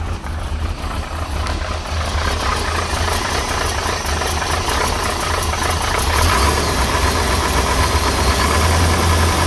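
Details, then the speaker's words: 1968 Corvette with a 1969 350 small-block Chevy V8 and 1972 heads, cold start after sitting two weeks on a warm morning, no choke; fast even ticking rattle over the idle, which the owner suspects is worn lifters and rocker arms. "Me personally, I think the lifters are worn. I want to put new lifters on it. And rocker arms."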